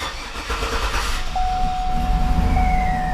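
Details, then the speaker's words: 2007–2014 GMC Yukon 6.2L after fuel injector O-ring/seal replacement, key cycled to prime the fuel system. It cranks briefly, starts on the first try and settles to a steady, even idle. "all right turned on on the first go awesome"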